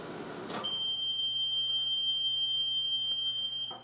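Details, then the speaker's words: 1978 Amana Radarange Touchmatic II RR-10 microwave heating water for one minute. A low, steady mains hum while running, then one long, high beep of about three seconds marks the normal end of the cook cycle. "that was 1 minute of cook time on the water."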